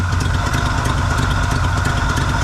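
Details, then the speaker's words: 1974 Chevy C10 small-block V8 with Edelbrock carb, vacuum advance moved to manifold vacuum port so timing advances at idle: steady even idle, deep regular exhaust beat, no misses; smooth idle after adding timing. "it's running better with more timing because when the vacuum advance is getting its vacuum from the manif fold Source it's getting advaned at idle and it's running happier"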